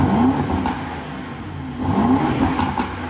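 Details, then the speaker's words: Rebuilt crash-damaged Aston Martin DB12 on stock exhaust: clean smooth rev climbing and settling evenly, no knocks, rattles or misfires, though considered quiet inside the car. Normal start and rev. "No complaints. Yeah, that sounds good. That sounds good. Yeah, it sounds alright."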